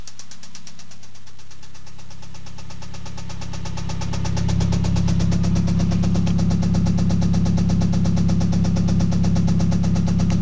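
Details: Mazda Astina BPT engine only 200 km after full rebuild: steady deep knock about three times a second, louder as revs rise; first thought piston slap, later confirmed blown big-end bearing, engine removed.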